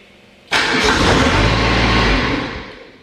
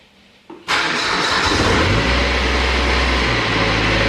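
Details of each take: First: Exmark XS diesel zero-turn mower, 60-inch deck, throttle about a quarter after 15 seconds of glow plugs: engine catches, runs about two seconds, then winds down and dies; failed fuel solenoid. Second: Exmark zero-turn mower with a diesel engine and 60-inch deck, after replacing the fuel solenoid, 15-second glow plug warm-up: short crank, then the diesel catches at once and settles into a steady, even idle with no stumble or misfire.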